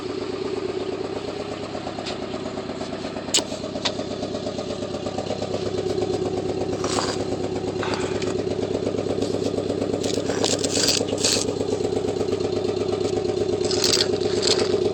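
Petrol engine idling with a deep, regular knock under the exhaust note, pointing to rod knock. Cause suspected, not confirmed.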